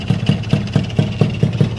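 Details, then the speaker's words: Honda Alfa touring-spec engine with standard carburetor, 14-tooth front sprocket, stock ignition: even steady single-cylinder thumping about four to five beats a second, no knocks or ticks; smooth normal idle. "teman-teman tinggal coba cek sound udah halus teman-teman suaranya Udah rapih udah enak kan"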